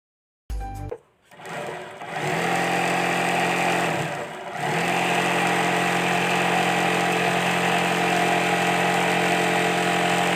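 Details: Sewing machine after its excess noise was fixed: steady even motor whir at constant speed with no clatter or knocking; running smooth and normal.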